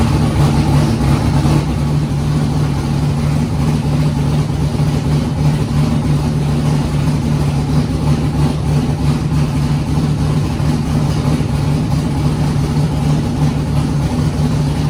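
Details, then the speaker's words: Foxbody Mustang with 408 V8 on Holley Terminator X, first start: deep steady idle holding speed evenly, no stumbling or hunting; idled great through first heat cycle, up to temperature; healthy. "Car cranked right up and it idled great, and I actually got it through its first heat cycle and it's up to temp right now."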